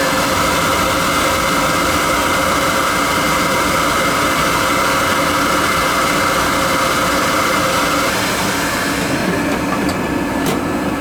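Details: Riello oil burner during annual service, on heat call with thermostat turned up: strong, even roar with steady mid-pitched hum, no sputter or pulsing; started up nice and clean, normal firing.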